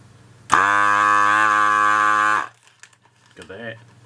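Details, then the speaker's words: S-993A desoldering gun after repair of lost suction (broken silicone tube replaced), tested on a solder lump on perfboard: firm, even low buzz of the suction pump for about two seconds, then a clean cut-off; the vacuum pump is working normally. "Now, is it going to work? Let's get it so you can see, hopefully. There you go, it works."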